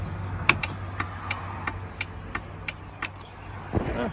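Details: Volvo VNL truck dash turn signal/buzzer speaker after replacement: crisp electronic ticks about three a second, evenly spaced over faint engine hum; turn signal ticker working properly.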